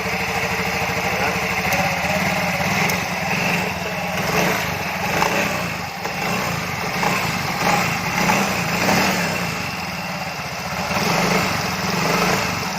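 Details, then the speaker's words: Yamaha Fino 125 FI scooter after clearing blocked oil passage at oil filter restoring oil circulation (had felt rough, weak until hot); steady, even single-cylinder idle, no knocks or rattles, smooth again. "Aman sentosa ya teman-teman ya. Udah halus lagi. Nih dengerin di sini dulu. Nah ini suara-suara mesinnya udah kembali seperti semula."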